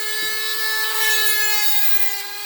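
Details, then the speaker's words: Drilling sea glass with a water-dipped burr bit: steady high-pitched squeal over grinding hiss as the burr cuts, the bit getting blunt after thick glass; keep dipping and wetting it. "Starting to make a different noise now if you can hear it. Hear the squeak?"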